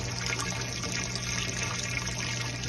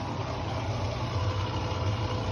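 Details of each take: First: Mabe washing machine after replacing the drain pump (old pump's impeller broke, it hummed without draining) on spin: water rushing over a low smooth pump hum, no buzzing, draining normally. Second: Mabe Aqua washing machine drain pump giving a steady low electric hum but no longer pumping out water; the pump is not working properly and needs replacing.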